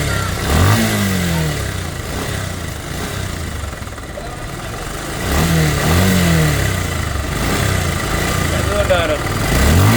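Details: Bajaj Pulsar (double disc) motorcycle at about 16,090 km, in for service: single-cylinder engine blipped from idle in uneven surges with a rough, rattly edge on each rev; abnormal engine noise, cause not yet pinned down.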